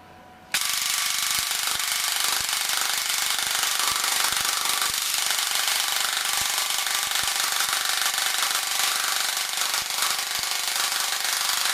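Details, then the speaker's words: APS V2 airsoft gearbox with M120 spring and brushless motor: fast high cycling with irregular sharp clicks and a chewing rattle as black bits fly out of the gearbox. The piston head is breaking up and the O-ring is shredded. "there is things there is things coming out things coming out of this gearbox all right there's things coming up did you I don't know if you saw there was there was something being chewed to pieces in there"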